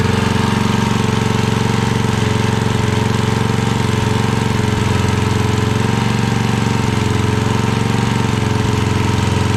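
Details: 1982 Snapper Comet riding mower, 8HP Tecumseh engine: loud, fast, fairly even firing held at high speed, no idle drop; only stays running at full throttle, carburetor still needs tuning.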